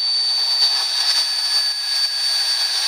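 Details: 3800 Series II engine: loud, steady high-pitched whistle holding one note, strongest when cold and almost gone when warm; vacuum leak at the upper intake manifold gasket, fixed by replacing the gasket.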